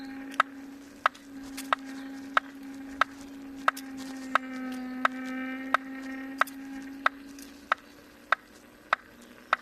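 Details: Kingsong S22 electric unicycle, second (new) hub motor: sharp regular knock about every two-thirds of a second over a steady motor hum, like something striking once per wheel turn; cause unclear.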